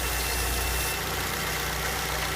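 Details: Smooth, steady idle with an even hum on a 2006 Ford Fusion G1 engine. The tapping "toc toc" noise, caused by a manifold issue and not engine knock, has stopped after the small hose was pulled off.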